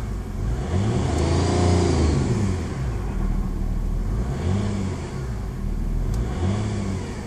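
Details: VW Passat TDI V6, recently developed: whine rising and falling with revs while pulling through gears, louder in lower gears/high rpm, gone in top gears; cause unknown.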